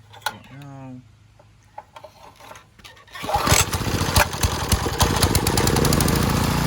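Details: Garden Machines edger, 3.5 hp Briggs flathead, after refitting the air cleaner with a used filter and new screws: a few quiet pulls, then it catches and settles into a steady, even buzz with no misses, a healthy start and run.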